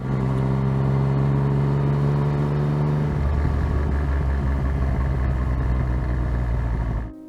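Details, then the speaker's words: Yamaha FZ-09/MT-09 engine at low rpm under engine braking/deceleration turns rough and rattly, the "gronk" clutch basket rattle from failing clutch basket or its drive cushions; fixed with new driven gear assembly. "as shown there this noise is generally experienced during low engine RPM and during deceleration"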